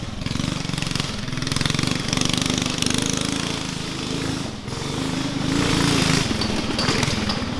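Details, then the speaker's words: Murray Explorer off-road go kart with swapped-in Honda GX270 single-cylinder and performance parts: loud engine pulling hard uphill, rapid hammering exhaust beat surging and sagging under load; running lean and falling on its face, needs jetting up. "So the motor definitely needs jetted up, because that's why it's falling on its face for sure. And it's not healthy to run a motor lean,"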